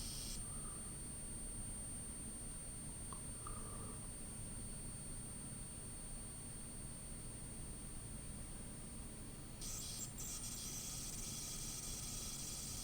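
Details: Sega 32x in use: thin, very high, steady electrical whine over a quiet hiss. The L7 coil was replaced but the noise remains; it disappears with the shielding off and returns with it on. Screech source still unresolved.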